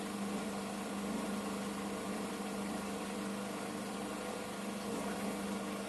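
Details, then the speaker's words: Washing machine loaded with towels on its 1000 rpm spin program (its maximum), drain phase before spinning: steady low hum with a faint constant tone, no grinding or rattling; drain pump running normally. "Все, сейчас идет цикл слив."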